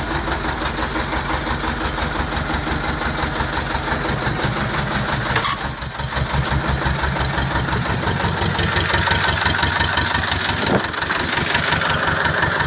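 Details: T-25 tractor diesel engine after repair, normal idle: even diesel clatter at a steady rate of about three beats a second, no misses or odd knocks; idles healthily after the repair.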